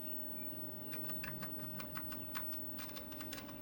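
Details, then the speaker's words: TRS-80 Model 4 keyboard after hours of cleaning and repairing corroded keys; before, only the number 5 worked. Crisp, separate key clicks in an uneven typing rhythm, all keys registering. Keyboard now works normally. "All the keys work."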